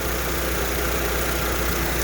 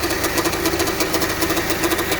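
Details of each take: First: 2005 Honda Civic at idle just after power steering pump replacement and bleeding by turning the wheel lock to lock: smooth even idle, no whine or groan, no more foam in the fluid, pump working well. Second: 2005 Honda Civic, replaced engine, heavy steering and clunk on left U-turns: rough pulsing growl at about seven beats a second over the idle while steering left; power steering pump bearings worn, pump not pumping enough fluid.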